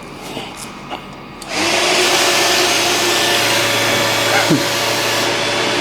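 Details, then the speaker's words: Custom land-speed motorcycle with rebuilt turbo Ducati 998cc engine, after fitting new throttle O-rings to stop binding: quick run-up picks up cleanly, holds a steady high-rev drone, throttle returns freely, no hanging; normal. "One quick run up to test the throttle cuz it's now not sticky. It's nice and free."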